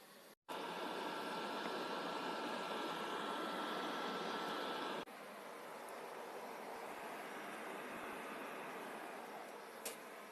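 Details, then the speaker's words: Noisy PS4 after full disassembly, cleaning and thermal paste replacement, final test with a game running: fan starts blowing with a smooth, even airy rush, no rattle or grinding; normal fan under load. "bah ça commence à souffler on va attendre un peu pour voir"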